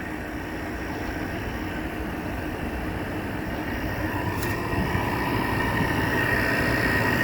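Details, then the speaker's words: Window air conditioner running on high fan: steady, even whoosh of the fan with a faint, soft hum underneath, compressor barely audible, no rattles or knocks; normal quiet running. "And this is on high fan. Can't even hear the compressor. These units are just too These are just so quiet."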